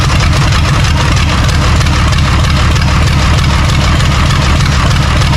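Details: John Deere 3130 diesel tractor at first start after standing: steady, even diesel clatter at idle with no misses or knocks; brittle fuel leak-off pipes were leaking diesel.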